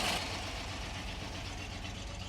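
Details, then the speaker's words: 1955 Ford F-250 engine first started after sitting outside over 40 years, stuck throttle linkage adjusted, idles with even low rumble and hiss, no excessive tapping or valve noise, hardly any smoke. "i want to make sure i don't hear excessive tapping or valve noise and let's see if it'll start up in idle man that sounds really good for 43"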